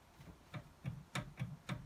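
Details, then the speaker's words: Porsche 944 front wheel spun by hand: soft regular ticks about four per second; owner suspects a dead front wheel bearing, alongside discs catching pads from suspected warping; discs and pads to be replaced now, bearings to be done later. "in fact you can probably see that on the camera, it looks like we've got a dead front bearing as well."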